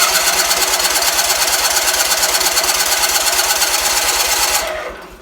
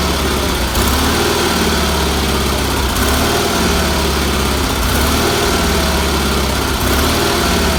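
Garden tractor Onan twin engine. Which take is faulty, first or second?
first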